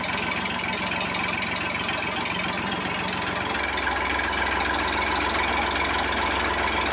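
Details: John Deere 350B bulldozer, rebuilt diesel engine: fires and settles into a steady, even low idle with no misses, then drops to a slightly different steady speed; normal idle.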